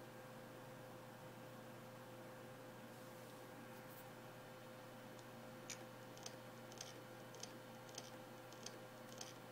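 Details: New Samsung HD103SJ Spinpoint F3 1TB hard drive, dead on arrival: sharp clicks about every half second over a steady hum, with grinding.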